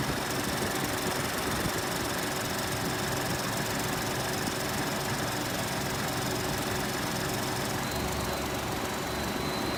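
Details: 2018 Ford Expedition petrol engine at cold start: fast, light ticking over its steady idle hum.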